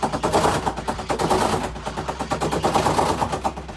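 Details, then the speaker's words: Samsung WA48H7400AW/A2 top-load washer on test spin, around 200 rpm and worsening: a fast, irregular string of hard knocks, about four or five a second, as the tub hits the cabinet; worn suspension rods, with all four corner rods recommended for replacement. "it starts normal but then it's gonna make a really really ugly tapping noise"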